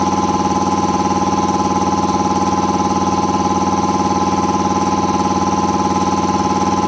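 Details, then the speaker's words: Air compressor after installing a brand-new replacement pump unit (the old pressure switch had failed and stuck, overpressuring the system), pumping toward an expected 145–150 psi cutoff; loud steady motor-and-pump drone, even pulse about two beats a second, no knocks or squeals; normal running under load. "So right now I'll turn it on, and hopefully we'll turn off about like maybe like 145 or 150 or so."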